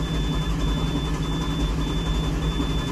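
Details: 2005 International school bus with a VT365/6.0 Powerstroke, code SPN 164 FMI 1 (ICP unable to build during crank): steady starter cranking that never fires. The IPR responds, reaching about 400 psi when powered, so a leak test is the next step.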